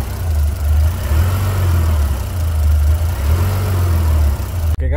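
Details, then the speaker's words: 2003 Mitsubishi NP Pajero 3.8L V6 automatic with P0100 code, internally faulty mass airflow sensor: deep, uneven idle hum that swells and sags, RPM fluctuating, hesitation, check engine and traction control lights on. "so you can see the the traction control light is on and you can see the the RPM getting fructuate so you can see the the engine is rpm is not right"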